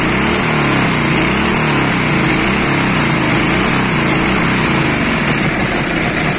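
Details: Dnepr 10-36 engine after replacing worn blue connecting-rod bearings and the connecting rod, which had knocked and shed metal shavings: running fast and steady with a busy crackly exhaust, no knock; healthy.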